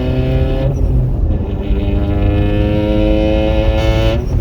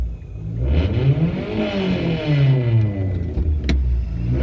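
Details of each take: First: Mitsubishi Lancer with a DIY turbo fitted and open exhaust, driving in second gear: loud, raspy note climbing steadily in pitch with some snap; normal turbo engine acceleration, exhaust fumes entering cabin. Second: Mitsubishi Lancer with a DIY turbo install, testing blow-off valve and boost gauge: three free revs climb and fall smoothly with no turbo whistle rising alongside, so the turbo isn't heard spooling; cause unknown.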